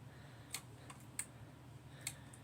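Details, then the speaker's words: Remote-capable 6 V emergency light wired to a 12 V Mule remote head: crisp relay clicks each time the test button is pressed, cutting AC power, over a quiet hum; relay switching normally. "You can hear the relay clicking. When you press it, it disconnects the power and the AC bulb goes away."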